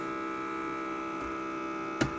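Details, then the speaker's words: Exhaust fan in an old TRUST UPS PW-4130M: a constant buzzing, rattling drone that shifts when the fan is tapped; the bearings are worn out and the fan needs replacing; fan bearing noise. "you can if I tap it yeah you can hear it changes the noise profile a bit But ultimately yeah the bearings I think in um in some exhaust fan are pretty much done"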